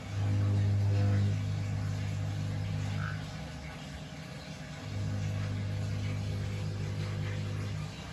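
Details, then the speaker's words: Running water tap: a deep, steady droning buzz that swells and fades. It comes from a vibrating ceramic disc tap cartridge whose noise reverberated through the house and seemed to come from the boiler. "I don't know if you could hear that, but basically it was a vibrating noise coming from this ceramic disc tap cartridge, and it was reverberating throughout the whole house, and it was actually sounded like it was coming from the boiler, but it wasn't."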